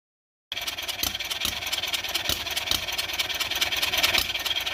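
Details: Kawasaki engine in a golf cart cranking with the choke on and off; the starter turns it over in steady chugs, about two a second, but it never fires or picks up speed; cranks but won't start.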